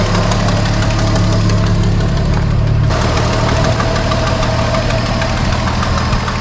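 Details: 1973 Dodge Dart Swinger, 225 slant six, revived after 29 years, running off its tank through the fuel pump and new filter: steady low rumble at idle, even beat, no exhaust puffing or ticking; earlier exhaust leak gone, healthy.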